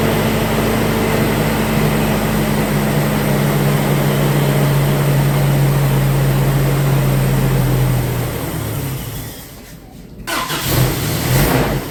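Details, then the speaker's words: 1990 Isuzu Trooper, 2.6 four-cylinder, 5-speed 4WD, first start after an engine reseal and EFI-to-carburetor swap: slow, labouring idle with a droning low tone that fades and stumbles near the end. Low idle, raised during initial tuning. "Let's bring that up a little bit. About there."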